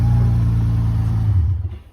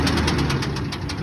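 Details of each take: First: 2014 Dodge Charger 3.8-liter at a towing auction, jump-started and moved backward and forward; low, even rumble with no knocks, ticks or misses, sounds pretty good. Normal idle. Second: 2001 Ford F-150 Lariat at a towing auction, jump-started with its key, run and moved backward and forward; steady idle with a regular rapid knock at engine speed that quieted down a little but remained. Engine knock at idle.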